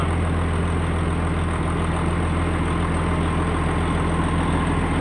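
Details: Semi truck just after its first fire-up following engine repair: deep, steady diesel idle with an even low rumble, no stumbles or misfires. The engine runs healthy.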